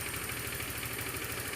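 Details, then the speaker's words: Honda Beat automatic scooter after the loose spark plug was tightened: even, quick pulsing idle with no misses or rattles; smooth normal idle, previous harsh noise resolved. "Dengaran kan? Suaranya sudah halus, normal, standar,"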